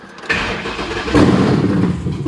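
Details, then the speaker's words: 2009 Ford Crown Victoria with 7.3 Godzilla V8 swap: catches quickly and settles into a fast, high idle with no knocking; oil pressure gauge showed no rise, and oil pressure is unconfirmed. "so doesn't look like this gauge went up any at all but it was idling not bad it was idling high but it wasn't bad"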